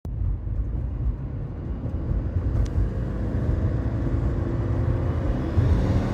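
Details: 2014 Subaru Forester XT Touring, warm and under load: a deep engine rumble with a faint fluttering whir through it. It was first suspected as knock, but it was an exhaust leak from under-torqued exhaust manifold nuts letting pressure past the gasket.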